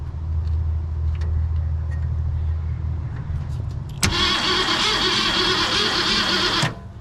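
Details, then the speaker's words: 1966 Mustang off the road since about 1987, cranked with a temporary power lead to the coil: steady low starter drone for several seconds, never fires; no spark seen, owner suspects no power to the coil, possibly a brittle wire or bad ground. "no sparkles there but I'm not super confident about this yet"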